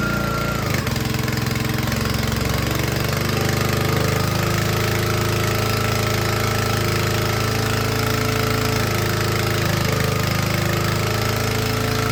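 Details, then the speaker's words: Troy-Bilt log splitter with a small Honda engine driving the hydraulic pump, after a small pressure adjustment was backed out: engine holds a steady, even drone under load with no bogging or stalling. Running healthy. "that engine is under load, which it should be, but it's not dying. So I'm happy with that."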